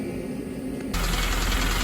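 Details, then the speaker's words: 2008 Honda Civic Si K20, six-speed: a light, quick clacking over a steady idle. A rod knock was feared, but the oil is clean with no shavings. Owner suspects valvetrain noise; sometimes silent while driving. Unconfirmed. "okay after clean up it look kind of clean look decent guys and you hear that noise it clacking i afraid the rod noise but uh i checked the oil the oil very clear no shaving or anything so i think it's a head like you know the vowel or the lma make noise guys"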